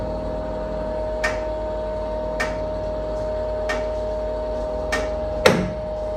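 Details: NordicTrack treadmill inclining, with or without a runner: sharp metallic ding about every 1.2 seconds over steady motor hum, likely something loose in the incline mechanism; owner tightened incline motor bolts and frame screws and lubricated the incline bar.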